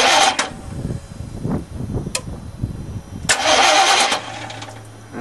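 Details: Chevy 350 gasoline truck with diesel put in the tank, tank drained and refilled with gas, feed line at throttle body loosened to bleed: short starter cranking bursts, never catching, while fuel is flushed through.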